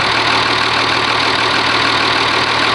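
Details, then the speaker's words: Oliver 1850 diesel tractor, genuine cold start at about 45 degrees, not plugged in, preheater untested, no smoke: loud steady diesel clatter with no misses or surging; normal cold idle. "You start it up, it's only about 45 degrees. Wasn't plugged in, hasn't been started, nothing. That's a genuine cold start for"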